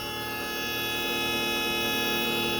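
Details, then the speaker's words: Electric power steering pump retrofit with breaker protection, engine running, mic close to pump: steady electric whine with high buzzing hum; pump noisy and starts before engine runs. "the other issue we have is it's quite noisy you can hear it if I get right down near it with the with the camera"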